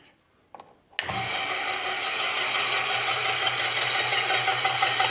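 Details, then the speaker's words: 30 lb Kerrihard power hammer after swapping 3/4 hp motor for 1.5 hp motor, plugged in directly, new matched belts: switch-on thump, steady motor run with thin high squeak on top; source unclear, belt or elsewhere. "Tôi nghe thấy tiếng kêu cót két ở đâu đó. Không chắc là do dây đai hay chỗ khác."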